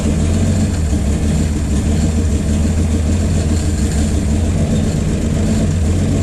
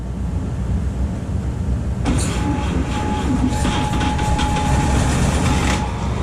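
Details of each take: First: 1951 Chevy 1430 pickup inline six, previously seized, off road since 1976, running from a jerry can with idle turned up: steady low rumble at raised idle, even firing, no misses or knocking; runs pretty good, though fuel pump is bad. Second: 1951 Chevy 1430 pickup inline-6, previously seized and pickled with oil, last run 1976, cool morning: rhythmic chugging about three beats a second on the starter, never catches; owner suspects low compression from stuck rings.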